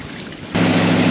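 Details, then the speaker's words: 1972 Chevy Nova third-gen project assembled from spare parts, first start: catches abruptly and settles into a fast, steady drone; idle high because idle speed screw wouldn't lower it. "I pulled some timing out of it because the idle screw, the idle speed screw, wasn't actually bringing the idle speed down, so I actually bumped the distributor and pulled some timing out of it just to give it an opportunity to come down to a normal RPM."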